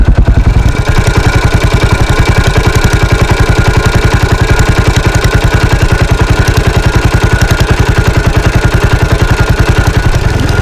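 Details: 1983 Husqvarna 510TC four-stroke single, recently rebuilt after fire damage: a crisp, even idle thump at about 3.5 beats per second, steady and clean with no knocks; normal idle.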